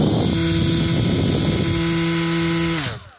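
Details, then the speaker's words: Milwaukee M12 die grinder with Roloc abrasive disc: steady high whine with rough buzzing vibration at one mounting orientation, quiet when rotated 180°; unbalanced disc. "notice the much louder noise let's see if we can see it do it yeah there's the much louder noise spin it till it gets the other side 180° out does not have the really loud noise"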